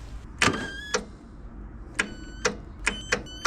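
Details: Riding mower with a Briggs & Stratton VTek 22 HP V-twin, battery reading 12.77 V, borrowed starter fitted: sharp single clicks each key turn, about seven in three seconds, and the engine never turns. Battery too weak under load.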